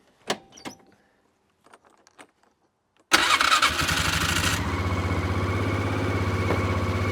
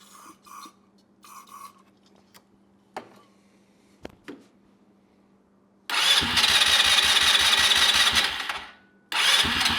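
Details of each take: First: Neglected ATV that sat unused, fresh battery, choke on, key in run: clicks then engine catches instantly and settles to a steady even idle, no heavy smoke; apparently just needed a battery; normal start. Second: Neglected ATV that sat unused: two bursts of steady cranking with no catch or firing; cranks but won't start, carburetor suspected and to be removed.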